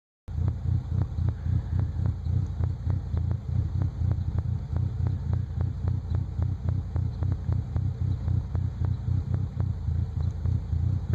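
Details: 1998 Nissan Frontier with a low idle that pulses and stumbles unevenly and never settles into a steady rhythm, a clear rough idle.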